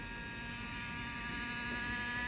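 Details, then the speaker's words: Intel i5 10th-gen laptop running at 100% CPU: a steady whine with several high tones over an airy hiss from its worn cooling fan, which barely spins and needs a replacement part. "새 무슨 소리예요 이거 쿨러 들어가면 쿨러 응 이 쿨러가네 딱봐도 막에 같지 잘 돌지도 않잖아"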